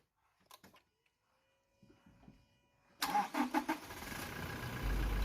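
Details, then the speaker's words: Engine start while measuring minimum cranking voltage, 8.46 V: a few quick cranking turns, then the engine catches promptly and settles into a steady, even idle; normal start. "ให้ทำการสตาร์ทเครื่องนะครับดังภาพที่แสดงนะครับค่าสูงสุดที่ไฟจ่ายให้กับมอเตอร์สตาร์ทก็จะโชว์ดังตัวอย่างก็คือ 276 แอมป์นะครับ"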